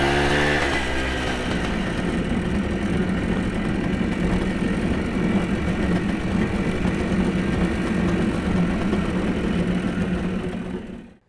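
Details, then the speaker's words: Kawasaki KE175 vintage two-stroke motorcycle pulled out of storage and made street-ready, transmission case oil checked: engine picks up briefly then settles into a smooth steady buzzing run with no misses; healthy engine. "i've got to go run my errands and i'm going to take this because it's running now"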